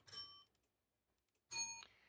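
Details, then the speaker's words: Model railroad block detection controlled via ESPHome and MQTT, track sections being switched off: two bright high chimes about a second apart, each a clean ding; detection system responding normally. "so what I realized is I can go through and I can actually turn off and you'll hear it ding a little bit as I go through and turn things off"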